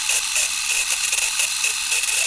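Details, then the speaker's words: Canon 1014 AZ Super 8 camera: high, buzzy motor whir running nonstop with a soft pulse about four times a second when switched on, without the trigger pressed; owner suspects trigger contact plates sitting too close together. "so my problem is of course when I turn it on you can hear it just kind of running"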